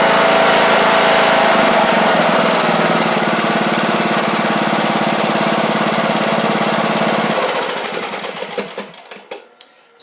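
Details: John Deere E100 lawn tractor after engine swap (original 2018 Briggs & Stratton failed): steady, even single-cylinder beat at full throttle, no knocking or misses, before winding down; healthy.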